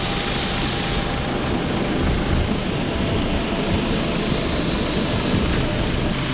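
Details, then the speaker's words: Honda Civic EK, D16Y4, after a 10 km drive: loud continuous hiss over a steady idle, no rhythm, with bubbling; steam escaping from a hole in the previously patched radiator. "the radiators got a hole in it's got a leak so you can see here you can hear it just there it's been patched up before I didn't even know because this piece of foam was covering it and you can see it's leaking all their steam out of here absolutely everywhere"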